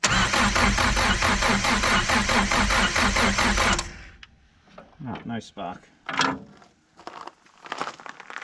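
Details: 1973 Chrysler Galant that sat 26 years in a paddock, cranked while checking for spark at number one cylinder: steady starter cranking at about two turns a second for four seconds, never firing. Crank, no start, no spark.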